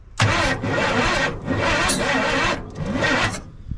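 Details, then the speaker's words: 1968 Chevy C10 small-block V8, sitting since 1996, freed from seizure, cranked with fuel poured down carb: long cranking bursts, ragged uneven firing that never catches, seeming like timing off; plug wires were crossed, then rotated. "Well, she kind of seems like she wants to fire. Almost seems like our timing's off a little bit."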